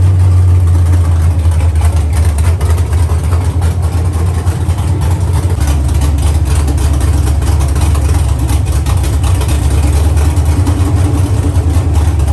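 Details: Chevy truck with cammed 5.3 V8, Texas Speed 232/234 cam on 110 LSA, after first start-up: deep loping idle with an uneven chop from cam overlap, loud and steady, no knocks; healthy cammed idle.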